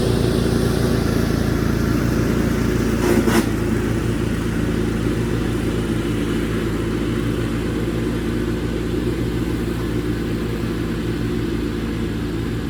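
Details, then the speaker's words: 1987 Craftsman GT18 lawn tractor after tune-up (idler pulleys, carb gasket and needle valve, drive belt, battery): small single-cylinder engine holding a steady, even note while cutting grass, no surging; runs healthy. "oh there you have it 1987 craftsman up and running once again"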